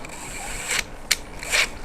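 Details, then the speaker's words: Holmes Hobbies Power Wagon RC crawler with Radiomaster 3-channel receiver, ESC freshly retuned, driven under load: sharp bursts of gritty clicks about every half second over a quiet whir as the drivetrain skips teeth; owner suspects a loose pinion, motor to be pulled to check. "well, it was doing it. What? So it was acting like the pinion was loose."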